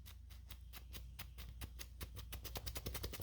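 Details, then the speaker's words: 2010 Ford Fusion SE, worn tie rod end rocked by hand before replacement with a new Moog part: loose clicking and clunking, two or three a second, from excessive play in the joint. "Maybe you can hear that. It's all loosey-goosey. Shouldn't be like that."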